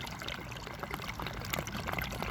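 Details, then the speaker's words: Newly built, media-filled system with a bell siphon (inner pipe shortened, rock added on top after it floated): irregular watery gurgle and trickle with air slurping as it drains and starts sucking air; the flow continues, the expected gurgle. "It sounds like it's getting ready to, it's sucking air, so does that mean it's gonna stop?"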